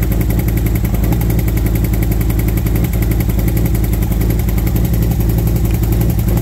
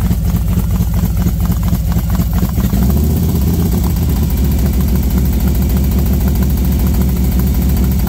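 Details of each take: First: V-twin motorcycle warmed up after new SS540 cam and valve springs, lifters set to four full turns: lumpy idle with fast light ticking from front valve cover; lifter or valve train tick suspected, possibly exhaust side front, unconfirmed. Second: V-twin motorcycle with SS540 cam and valve springs, idling about 10 minutes warming up at 40 degrees outside: lumpy but steady idle with intake hiss, no ticking; idling fine.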